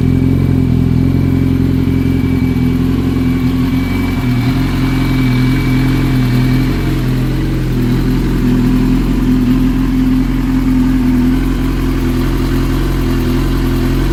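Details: 2005 Yamaha R6 inline-four, about 19,000 miles, idling: pitch drifts and lumps unevenly partway through, a surging idle with occasional misfire-like lope, the owner's "Harley Davidson" V-twin-like effect.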